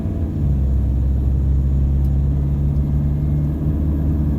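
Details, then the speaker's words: Toyota Hilux Vigo 3.0 D4D 1KD-FTV diesel after injector replacement, accelerating from a stop 1500 to 2000 rpm under load: deep, even rumble, no knock or rattle. Normal diesel acceleration. "so definitely a complete it's chalk and cheese it is i can tell you from my experience it's uh very nice and quite acceptable to drive for what a hilux is"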